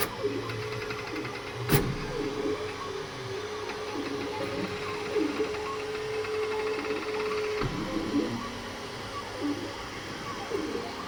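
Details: Creality K2 Plus 3D printer, about a week of use, firmware updated 2025-05-01, printing unusually slowly (owner unsure if print setting is why): wavering mid-pitch stepper hum shifting with head movement, odd squeaks; owner thinks it sounds different, cause unknown.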